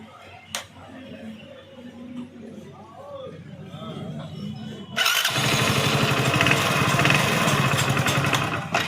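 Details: Motorcycle electric starter after greasing the brass bush and refitting with spring to cure starter noise; starter spins and engine catches cleanly into steady idle, no grinding or clatter: normal electric starter engagement.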